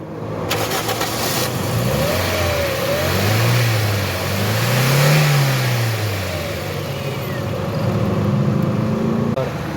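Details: 2017 Toyota Corolla petrol engine, which had broken down on the road with starting and misfire problems, revs up and settles smoothly after repair, pitch rising and falling evenly with no misfire stumble.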